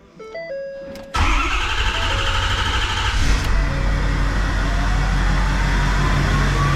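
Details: King Ranch diesel truck on first start after No Limit Fab turbo, S&S DCR conversion, GDP piping and large-VGT tune: quiet whirring, then catches into a steady, even, deep idle with no misses; healthy, no leaks seen.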